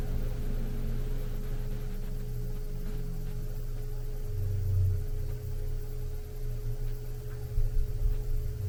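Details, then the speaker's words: Furnace blower after swapping the old PSC motor for an Evergreen IM 6005 ECM variable-speed motor: a quiet, steady hum with a slow ramp-up and a long, smooth run-down, no scraping or rattle. It draws much less current than before; normal blower run-down. "so that's the fan running you can see it's a slow ramp up and it's very quiet I'm sure the microphone is amplifying it a bit but it's very quiet and then it it ramps down as well"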